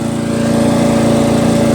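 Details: Murray 40" LT lawn tractor, 12.5HP Briggs flathead single, driven around the block at full throttle after fixing a sticky valve that caused zero compression: steady, even full-throttle drone with no misses or knocks; running properly.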